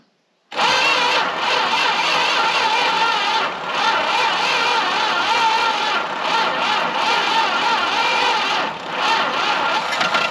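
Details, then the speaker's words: Long-sitting Dodge W300 4x4 dump truck; engine catches and roars unevenly for several seconds, showing ignition and compression work; it just needs the right fuel into the carburetor. "now that was nice it means we have ignition is working um compressions working all that good stuff just a matter of getting fuel in the carburetor and the right amount"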